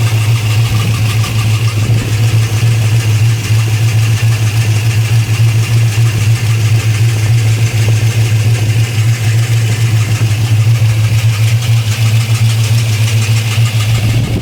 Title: What is this noise? Dead misfire.